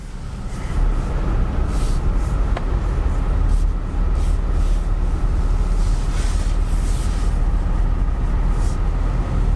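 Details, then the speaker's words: 2007 Toyota Prius hybrid with a CVT, jump-started, check engine light from a missing gas cap: soft, steady, low idle hum with no ticking, knocking or misfire; the engine sounds good. "So I mean, so far the engine sounds pretty good."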